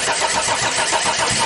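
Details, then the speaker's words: Audi diesel standing unused at least 12 years, cranked in gear after injection timing advanced and two more fuel pipes opened to bleed air: short burst of steady cranking, even compression pulses, no firing; priming air-bound fuel system. "I'll open two more pipes to let the air out The gearbox is in gear Just to inflate the fuel pressure a little"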